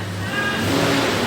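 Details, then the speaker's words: 1996 Toyota 4Runner, 290,000 miles, previously no-start, after negative battery terminal reconnected: healthy starter, engine turns over and runs smoothly with steady even note, no grinding or clicking. "Sounds like a healthy starter. Yeah. I like it."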